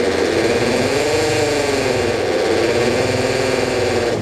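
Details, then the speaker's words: With the car back on the ground, turning the steering to full lock makes the power steering pump whine strain and waver as the engine bogs and nearly stalls. The owner suspects a failing power steering pump; there is also a massive leak under the car. "Is that a failing pump? Is my pump broken? Because if I full lock it, I can stall out the car."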